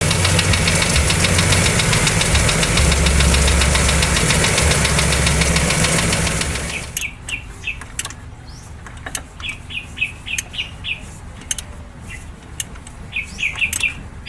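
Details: Toyota 2E petrol engine: steady rapid knocking, about three or four raps a second, then shuts off; engine knock, cause unconfirmed.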